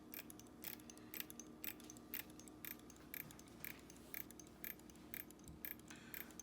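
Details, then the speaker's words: Standard Electric Time GRC dual-motor clock movement during 12-hour correction: crisp light clicks about twice a second over a faint correction-motor hum; correction ratchet stepping the hands normally. "all right so engaging color correction as you can see there the correction motor is active"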